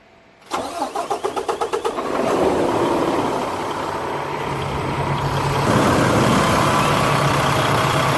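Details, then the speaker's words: Engine started right after an AMSOIL oil change: starter cranks about ten quick beats, engine catches and settles into a smooth idle with no ticking or knocking, noticeably quieter than before; normal start and idle. "The engine is a lot quieter. It is quieter."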